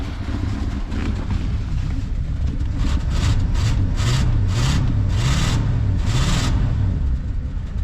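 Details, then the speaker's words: 1973 Mercury Grand Marquis Brougham, 429 Ford big block, C6 transmission, 55,000 original miles, long sat: deep lumpy, uneven rumble with sluggish revs after Seafoam and Berryman's treatment; running slightly better but rough, carburetor still needs rebuilding. "starting to run a little better too it definitely still needs the carb rebuilt but you know I got one of those right"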